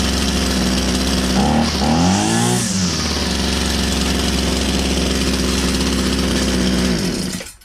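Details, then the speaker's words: Old Husqvarna 22R strimmer, choked and pull-started: rough start, quick rev rising and falling, then steady buzzing run for several seconds before cutting off cleanly; now fully runs. "So it now fully runs."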